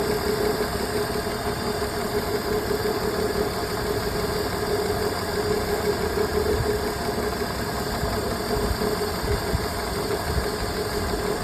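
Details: BMW E46 petrol engine at idle with the check engine light on: rough, shaky beat with light knocking over the hum, consistent with a misfire at idle.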